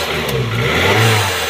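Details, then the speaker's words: Petrol/CNG car after backfire won't stay running: engine catches briefly, runs roughly and stalls, with airy hiss over low rumble from an air leak at a loose intake pipe. "Start हो रही है, लेकिन गाड़ी start होके बंद हो जाती है और साथ में जो है ना एक और साउंड देती है जैसे कोई कहीं से हवा लीक हो रही है।"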